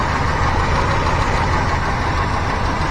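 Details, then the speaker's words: 1985 GMC C25 V8 idling with timing adjusted and vacuum advance disconnected: fast light ticking keeping pace with idle above the rumble; valve lifter tick, valve train to be inspected. "And as you can hear, there's a lifter noise. So I definitely want to look at that."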